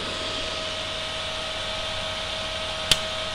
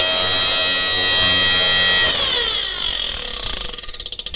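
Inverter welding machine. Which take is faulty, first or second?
second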